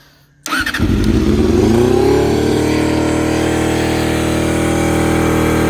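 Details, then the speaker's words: Honda CBR250RR MC22 four-cylinder, first start in years, fuel line fed straight from the petcock. Catches and settles to a fast, uneven, wavering idle. Rough idle from unsynchronised carburettors. "now we can start the bike it's not revving correctly yet because the cabs are not suited but i'll show you the bite"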